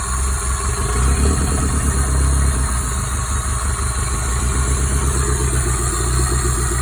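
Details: Toyota 5S-FTE four-cylinder after a bearing swap to fix a rod knock: idles with a steady, even low rumble and no sharp knocking from the bottom end. Normal idle.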